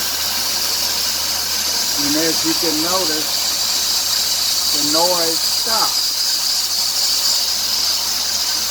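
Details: 2003 Dodge Grand Caravan 3.3, 372,528 miles, on acceleration: a steady high hiss with bursts of squeaky chirps that grow toward 2000 rpm and quiet when sprayed with water. The idler, tensioner and power-steering pump were already replaced, so a slipping serpentine drive belt is suspected.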